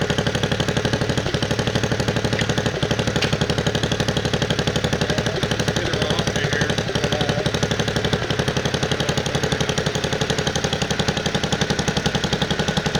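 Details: 1969 Bolens 850 tractor, Wisconsin S8D 8.25 HP engine, after setting points and initial carb mixture: held at high rpm with hard rapid rapping on every beat; knocking badly, also poor idle and smoke at idle, cause not found.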